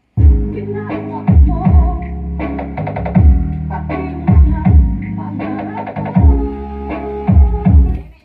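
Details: Konzert AV-502A amplifier, old model, in for repair with cracked left-channel sound: music plays muffled and bass-heavy with almost no clear treble, thumping and smeared; output distorted, with both channels sounding unclear.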